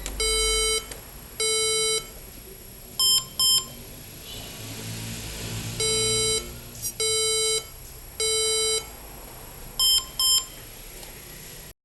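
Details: HP EliteBook 840 G7, water-damaged board previously resoldered at memory pins/pads by another technician, intermittently fails to boot; speakers connected, powered via USB-C: repeating three long, two short beep code and no boot.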